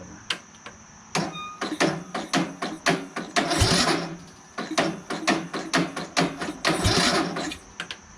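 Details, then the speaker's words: Craftsman LT1000 lawn tractor, repowered with a rebuilt engine and a new battery reading 12.2–12.3 V: labored, slow starter dragging with uneven chugs that never catch. Weak cranking, battery suspected; the starter got hot and smoked. "but the battery is not strong enough it is a new battery from walmart"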